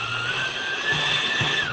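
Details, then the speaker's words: Electric ducted fan (EDF) unit during balancing by clocking the spinner to different positions, no weight added yet; a steady high whine with an even pitch and no wobble or buzz, now well balanced. "that's way better"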